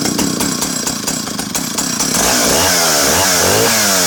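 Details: Vintage Partner R12 90cc two-stroke chainsaw with an adjustable cast-aluminium silencer baffle (positions 1 and 2). Loud, crisp buzz at steady high revs, tone shifting as the baffle is moved; healthy, strong-running saw.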